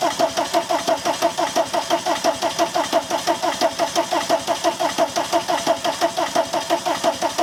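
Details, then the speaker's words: VW camper van after TDI diesel engine swap and new harness, fuel primed: steady even cranking about ninety a minute with no firing; crank no start, owner plans a shot of easy start. "I mean realistically it should be starting by now if I just need a shot of an easy start or something like that"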